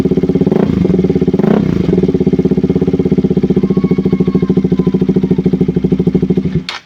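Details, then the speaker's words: KTM RC 200 after fitting a spare spark plug cap in place of a faulty one that caused stalling, no-start and rough idle. Even, regular idle thump at a steady pace with no misses or stumbles until switched off; idles cleanly. "Sige so Ayan umandar yung motor Ito lang yung pinalitan natin So most of the"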